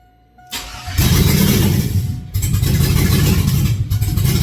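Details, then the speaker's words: 2001 Cadillac Escalade mud-truck project, first start with foot on throttle: cranks briefly, catches and runs steady and even on all cylinders, before water pump and mid pipes with O2 sensors are installed; normal start and run. "So she is running. Feels like it is on all cylinders. So, we do have a runner."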